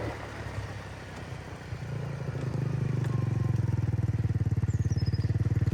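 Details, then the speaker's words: MotoBravo Roma150 scooter-engined motorcycle at 1,098 miles, running much better, on a ride: firm, even exhaust beat rising smoothly as the bike pulls away over some wind; engine sounds healthy and strong. "There you have it. It runs well, it sounds nice."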